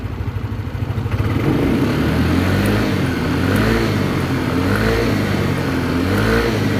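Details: Yamaha Lexi 125 scooter after repair of an engine run low on oil, rough noise blamed on a worn piston: an even single-cylinder putter rising and falling smoothly with throttle, no rattle or knock, with slight smoke only from the wet exhaust.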